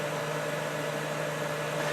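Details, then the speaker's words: Kenmore dehumidifier, cabinet off during cleaning and maintenance, cold winter conditions, a few minutes after the compressor restarted: steady fan whoosh over a smooth low compressor hum with no rattles or knocks; running normally. "after a few minutes this thing is running very well and sounds very happy - all good I say this kind of cold down here so yeah running great band sounds good and so does the compressor"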